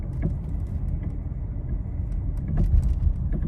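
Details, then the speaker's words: Nissan Rogue just back with a replacement engine from another shop, driving: sharp irregular clunks over small bumps above road rumble; suspected loose or not fully tightened sway bar link. "Sounds like it might be a sway bar link or something that might be loose or not completely tightened"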